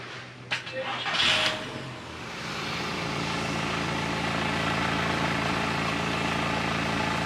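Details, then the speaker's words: 2003 VW Bora with about 2,000 miles, stood nearly 10 years; after draining and refilling the tank, a new in-tank fuel pump and a full service, the starter cranks briefly, it catches with no smoke and settles into a smooth, steady idle; healthy. "start no smoke this been stood for best part 10 years she's alive and she's nearly oted serviced and now it runs listen"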